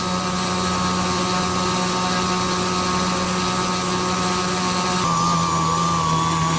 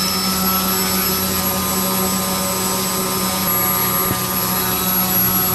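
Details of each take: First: Super Chipmunk RC with a Castle Talon 25A ESC, Rimfire 400 brushless motor and APC 9x6 prop, about 24 minutes into a half-throttle run. The steady, high motor whine wavers and sags as the battery runs low and the speed controller starts shutting down. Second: This vid shows the high efficiency of the Castle Talon 25A ESC, Rimfire 400 brushless motor and APC 9X6 thin electric propeller at half throttle.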